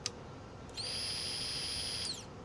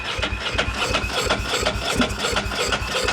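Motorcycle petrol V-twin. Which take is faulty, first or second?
second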